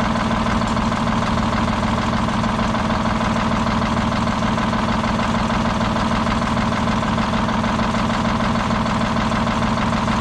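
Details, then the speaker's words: Detroit Diesel 6-71 on its last run before removal: steady idle with an uneven, lopsided beat as one cylinder is not firing; dead-cylinder misfire that seems to worsen over time. "it's almost like that it's getting worse as time goes on"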